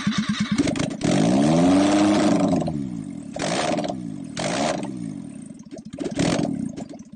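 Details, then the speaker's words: ST170-engined Mk1 Escort on an ME221 ECU with a base map: catches after cranking, then revs surge and sag unevenly, stumbling and nearly dying; now runs, sort of, very rough. "She now runs, sort of."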